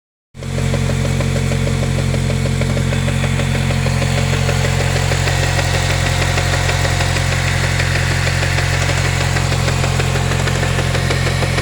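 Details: Chevrolet Cobalt SS (LSJ) with a 2.8" pulley, stage 2, belt slip: steady idle with a regular light knock about three to four per second over a strong low drone. Knocking at idle, source unconfirmed.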